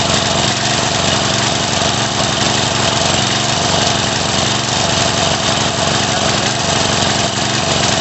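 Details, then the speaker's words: Craftsman 3.5 hp edger/trimmer that starts then stops, revved: ragged, uneven running instead of a clean buzz; partial carburetor blockage, fixed by carb cleaning. "And I revved it up and was able to keep running, but it wasn't smooth. So what that tells me is there's just a little bit of a blockage in there, so we do got to take it apart and take a look."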